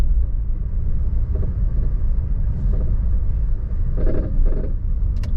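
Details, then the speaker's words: Auction-bought Chevy Sonic on first drive after engine work, warmed up; heavy low road rumble with short loose rattles every second or so from the front end over bumps; source not identified: front-end rattle while driving. "There seems to be some rattling sound as you probably heard. We'll get out of the car."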